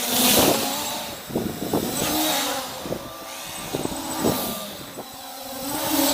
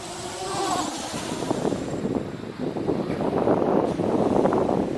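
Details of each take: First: MJX Bugs 3 RC quadcopter with cameras removed, running on a two-cell battery: steady buzzing motor whine rising and falling smoothly with throttle, no rattle or stutter; motors running healthy. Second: MJX Bugs 3 quadcopter on a 3S (3-cell) battery: buzzy motor drone with rising and falling pulses about four a second when power is held on, the motors hunting and oscillating.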